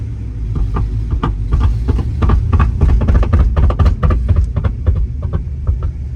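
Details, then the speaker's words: 1964 Pontiac GTO 389 Tri-Power 4-speed pulling away: loose uneven thumps about four a second over deep engine rumble, something beating the floor; broken transmission mount suspected after a clutch dump. "Because it's beating all over the floor. It's done that. You really get after it, it beats on the floor."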